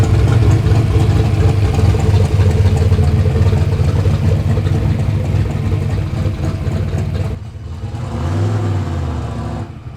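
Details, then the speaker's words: Ford Fox Body Mustang with newly finished turbo kit install, idling after alternator refit; no belt whine. Deep, steady idle with an even pulse and a brief pitch dip near the end: normal healthy idle. "The belt's not winding at me. I'm happy. And it sounds crazy. It sounds insane. Yeah, that sounds good."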